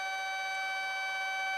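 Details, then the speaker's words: Light aircraft in a stall practice, pulled back, controls sluggish and buffeting felt: steady, piercing, high-pitched stall warning horn holds without a break as the plane nears the stall. "Feel how the controls are getting kind of sluggish? Yeah. And you feel the buffeting? That's the stall horn right there."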